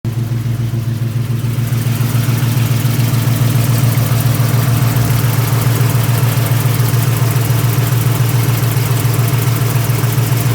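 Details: 1999 Mustang GT, built 4.6 4V V8, T-56 Magnum, McLeod RXT twin-disc clutch with aluminum flywheel, Kooks long-tube headers, new drivetrain under 60 miles: fast, regular light rattle or clicking over the idle rumble. Owner suspects the clutch, cause unknown.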